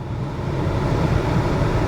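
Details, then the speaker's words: 2019 Ford Escape driven after front wheel hub bearing and left front wheel speed sensor replacement: steady low road rumble at cruising speed with no growl or hum rising with speed; the earlier noise is gone. "that noise is gone. That's right. No more noise."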